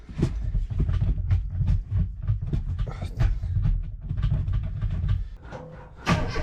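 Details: 1991 one-owner Mini Cooper barn find, petrol, cranked from cold: uneven churning cranking catches into ragged low firing, then briefly stumbles and surges; a normal cold start.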